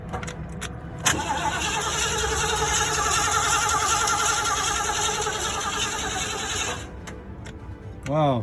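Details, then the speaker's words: 1975 Ford E100 van V8 being revived in a restoration, after rat-chewed wiring was repaired: starter spins it with a steady, even chug for about six seconds without catching, with no fuel in the carburetor; it ran once gas was added. "cranks over that's amazing all right maybe I'll get some gas see if it see if we can uh get it to fire"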